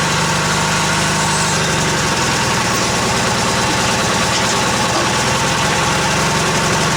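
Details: Old Yardman tractor with 4-speed rear end, owner thinks 1979, first start after sitting 4–5 months over winter, choke out; fires right up and settles into a steady, even idle with no misses, knocks or hunting.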